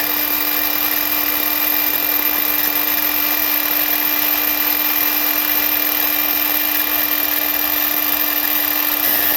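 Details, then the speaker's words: Ridgid 18V cordless miter saw R48607, fourth unit with same fault: steady high motor whine with harsh gritty grinding and rattling from the arbor bearing, which leaks oil out of the shroud; oil leak suspected as cause. "you can hear that terrible grinding sound and then also after you start hearing that noise it dumps more oil out of the shroud"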